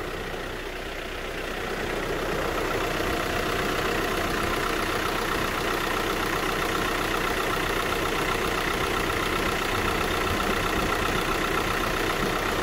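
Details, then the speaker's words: VW Crafter diesel campervan idling after cambelt, water pump and cooling system refit, bleeding coolant as it warms: even idle knock about four per second; earlier gurgles have quietened, no air noise. "we've got a few gurgles from this area but they seem to have quietened down now so i think the pump must have pulled um pulled everything through the heater matrix"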